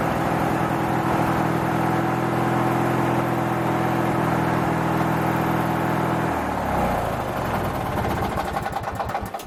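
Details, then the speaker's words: Craftsman 19.5 riding mower, chewed wiring repaired: engine turns over steadily at a fast even beat but won't start while the key is held, only after release; ignition switch fault suspected; it also smells rich. "otherwise you'd sit there and crank it and crank it and crank it and it won't start second you let off it'll start so it may be something in the ignition switch itself"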